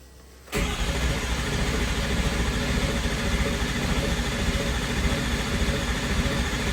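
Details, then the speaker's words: First startup of a freshly built diesel in a mud truck, fresh batteries and a 6.4 starter: fast, even cranking with no catch after priming, still building low (oil) pressure, so long crank, no start. "still building low pressure we did prime it but it may just take a minute"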